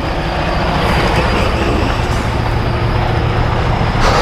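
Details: 2017 Freightliner Cascadia DD15 diesel after injector replacement: steady even clatter at idle with no misses or knocks; engine runs normally, though fuel-fouled SCR/DPF still smokes.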